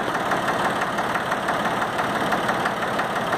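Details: Valtra A750 three-cylinder diesel tractor, previously misfiring, after repair and refill, possibly small air bubbles left: even, steady idle clatter with regular firing and no stumbling; normal idle.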